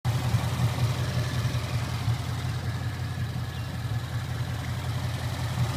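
V8 idling with a light, fairly steady knock about 160 times a minute under the exhaust rumble; the source is still undiagnosed.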